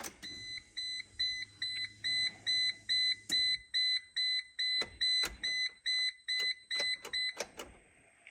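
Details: A steady run of high, clear chime beeps, a little over two a second, at key-on in a Geo Tracker during a 5-speed manual swap, after refitting the stock automatic computer; the humming under the dash has stopped.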